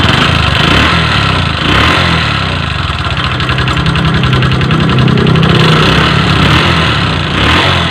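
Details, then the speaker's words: Verza motorcycle, smooth before a holiday trip and noisy after returning: loud idle with clattery, uneven tapping over the exhaust beat, possibly noisy valve gear, unconfirmed. Rough noisy engine. "awalnya motor ini halus teman-teman saat dibawa mudik halus setelah dibawa pulang ke sini itu suaranya jadi berisik seperti ini teman-teman"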